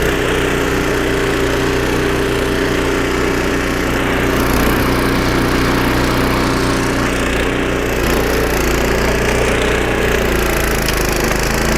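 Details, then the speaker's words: Snowblower about 25 years old, small engine after carburetor rebuild with carb kit and new needle and seat: loud steady drone holding constant speed, no surging or hunting; normal running after repair. "Changing the needle and seat and installing a carb kit. Piece of cake. Job done."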